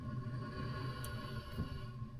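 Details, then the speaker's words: Outdoor wood boiler circulator pump on a barn in-floor heating setup with a 40-plate heat exchanger, season start-up check by ear: steady low hum with a faint constant whir, no knocking or grinding; pump running normally. "there you can hear this is how I check my pumps to make sure my pumps are"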